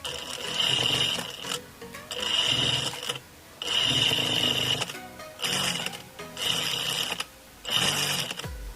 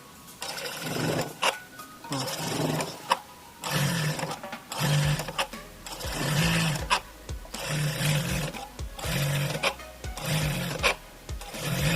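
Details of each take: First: Electronic straight-stitch sewing machine, after repair of loud noise at needle stop: six short runs of steady high-pitched stitching, each ending in clean needle stop, no knock or rattle; normal sewing and needle stop. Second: Electronic straight-stitch (reta eletrônica) industrial sewing machine: repeated motor bursts with a loud, rough clatter at each needle stop, about once a second, building from slow to very strong; needle positioner cannot find its stop point.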